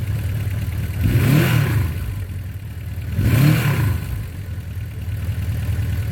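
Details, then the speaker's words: 1982 Suzuki GS1100L after mechanical restoration, warm start, not fully broken in: even steady low idle with two clean throttle blips; normal healthy idle. "It's not a cold start. I had it running earlier, so it fires right off every time, and thing just purrs like a kitten."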